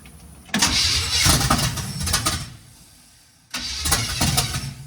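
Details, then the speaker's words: 1951 GMC 5-window cab-over, first start with no fuel to the carburetor and timing off: two short bursts of ragged running die away as the starting spray runs out. Runs only on starting fluid; more timing may be needed. "Just run her off the spray foam. Might need a little more timing."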